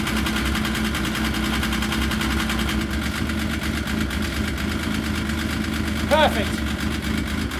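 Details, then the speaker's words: Yamaha RS Viking snowmobile after carburetor cleaning for suspected carb issue and rough running: steady, even idle with constant low drone, no misses, surging or stumbles; now running clean. "You know, after a summer, should it be running rough? It should sound just like that. That's perfect, that is."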